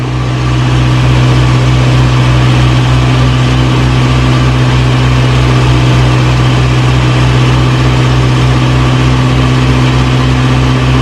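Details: 1937 Morris 8, 918cc pre-war engine, first run during recommissioning, no cooling water in: steady low even idle, constant drone, no knocks or misses; about 75 psi on the gauge, burning off oil smoke.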